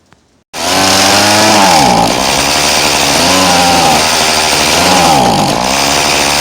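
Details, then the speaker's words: Poulan Pro 2322 hedge trimmer two-stroke: buzzy start-up, then revs climb and sag in slow swells as the carburetor mixture screw, slotted after finding no splines, is turned. "i'm going to start up the machine and show you what difference it makes to adjust the screw now that i have a slot that i can do the adjustment"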